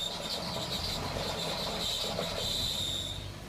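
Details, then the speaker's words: E36 BMW 325i idling with a harsh, high chirping whir when the clutch pedal is pressed; the noise also slows the idle. Thought to be the throwout bearing, the clutch proved catastrophically failed. "the throwout bearing is really noisy so transmission out let's do it so clutch is out right now I got told that the problem was a throwout bearing listen to this when I press it"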